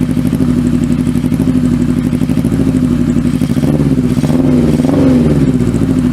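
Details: Kawasaki Z650B four-cylinder with rebuilt carbs refitted, mic behind the engine: rough idle turns lumpy as the number 1 cylinder drops out, leaving three cylinders, and it dies; priming fuel into carb 1 restores all four. Misfire persists.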